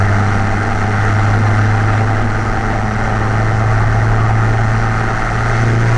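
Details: Car fitted with a new MRP 3-inch aluminum MAF housing, after the earlier breaking-up was resolved, warming up before a drive: steady, even idle with a smooth low hum and no stumbles or hunting; normal idle.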